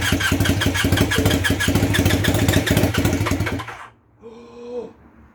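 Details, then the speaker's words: Temporary twin-cylinder motorcycle engine, plugs fitted and fuel connected, on a weak battery: the starter churns at about 3.5 beats per second with occasional pops but the engine does not catch. It cranks but does not start. "it's making popping noises she's not running though"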